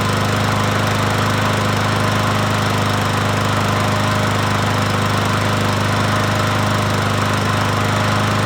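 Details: Troy-Bilt push mower, 550EX single-cylinder engine, after a cylinder head swap for a stripped spark plug hole and a valve cover leak fix. Steady, even drone with no knocks, misses or surging; runs normally.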